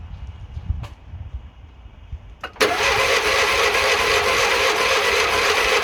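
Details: Classic Fiat 500 after electrical fixes, run from a jerry can because of a fuel leak: a short crank, then a steady, even buzzing run with no knocks or misses; oil and generator lights out, so oil pressure and charging confirmed.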